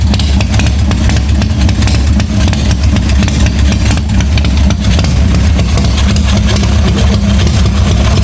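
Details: 1986 Harley-Davidson Softail V-twin at its first start after a starter and wiring repair, no air cleaner and no choke, oil pressure unchecked; loud, steady low lumpy idle with no knocks or rattles; charging despite bad wires; normal idle.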